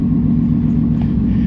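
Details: Engine started after repair to check that it cranks normally without setting a code. Deep, even rumble with no knocks, misses or surging through the whole stretch; normal running.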